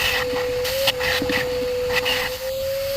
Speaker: now you hear that the vacuum is under constriction that means it's plugged it's plugged